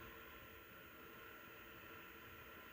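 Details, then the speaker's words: PowerColor Reaper RX 9070 XT graphics card fans ramped to about 60–70% (around 1851 RPM at 60%), phone about five feet away: steady airy whir with a thin constant high whine from the fans themselves, not coil whine; cooling fan motor whine. "can definitely hear the whine in the background there."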